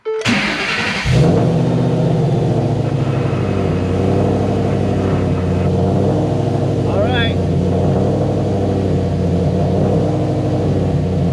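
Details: Cammed, Whipple-supercharged Shelby on its first start after installing two new Deatschwerks fuel pumps, with the tank very low. A sharp crank catches at once, then a steady, strong, lumpy idle with even pulses; normal start.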